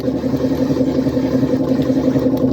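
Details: 1955 Frigidaire Unimatic washer on a small load of whites, timer manually advanced for less water, pumping out dirty water; a steady mid-pitched hum with a faint even churn: the drain pump running normally.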